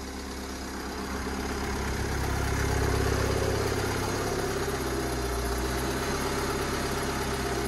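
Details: 2017 Mercedes Vito diesel van, first start after refitting the refurbished, previously whining gearbox: an even, steady idle with a smooth low rumble and no knocks, whines or gear rattle. Normal idle.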